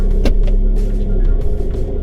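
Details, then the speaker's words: 1997 Honda CR-V after fixing misfire/check engine light, in reverse where it used to shake: low, even rumble with no stumble or shake; engine runs smoothly and quietly. "nothing i bet you can't even tell that the car is running right now but it is"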